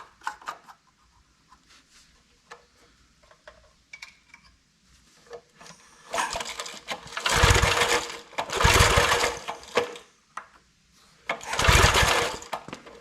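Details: Old Briggs 5 hp single-cylinder engine on a homemade wood splitter with a Montgomery Ward ram, oil checked and fuel in tank. It fires in short ragged bursts, catching and dying, and runs only on choke. Owner suspects the carb needs cleaning.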